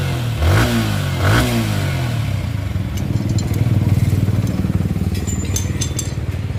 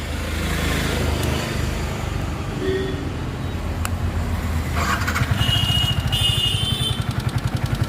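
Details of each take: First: Yamaha R15 V3 after repair of a top-end tik-tik noise: two sharp throttle blips, then smooth, steady idle with no ticking; engine now quiet. Normal running. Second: Yamaha R15 V3 motorcycle at idle: a light, quick ticking over a steady low putter; mechanic first suspects loose rockers, unconfirmed; engine ticking at idle.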